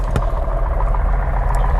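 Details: Piper Cherokee Six engine started after mixture full, priming and turning prop three times with magnetos off for oil circulation: deep, even rumble with steady firing pulses, no stumbles; clean catch into healthy idle.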